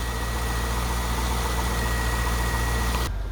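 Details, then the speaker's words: 2000 Chevrolet Corvette C5 V8, barn find sitting parked for many years, first start; steady low idle rumble, even beat, no misses or knocks; slightly hard to start and rough idle at first, then cleared up, still warming up. "all right so the c5 is running i call that a good day's worth of work a little little tough starting it a little rough on the idle but it seems to have cleared up"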